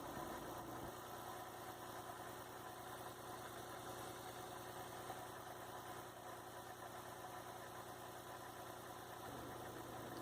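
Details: 2003 Mazda MPV with cable-operated throttle body, idle too high before adjustment (tachometer around 1000 rpm, target 700): steady, even engine beat noticeably faster than normal idle; idle speed needs turning down.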